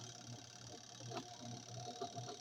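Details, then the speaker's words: Twin-tub washing machine spin motor loaded with wet clothes, accelerating smoothly to normal working speed with a low steady hum and soft even whir, no strange sounds: normal operation under load. "va acelerando sin problemas escuchen como acelera ahí ya llegó a su velocidad de trabajo normal ven sin sonidos extraños"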